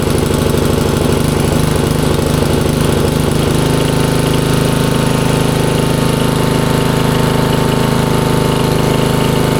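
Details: 1994 Troy-Bilt 33-inch walk-behind mower, Model 34044, Briggs & Stratton engine, curbside find: steady, even single-cylinder drone at full throttle with no misses or knocks. Runs healthy.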